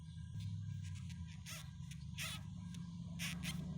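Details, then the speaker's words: Mercedes front end squeaks over bumps: sharp rubbery squeaks as the front is bounced, from a sway bar bushing rubbing dry on the bar; bearing grease on the bushing stopped it. "it's rubbing here when it squeaks so it's like something about the surface is making it squeak"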